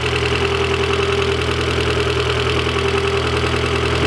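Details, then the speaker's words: 1.8 20v turbo engine after rebuild with new turbo, at idle: light fast ticking over steady idle; new hydraulic lifters not yet primed, expected to quiet. "Donc le moteur il clacote un peu, c'est normal, les pousseurs sont neutres et pas amorcés."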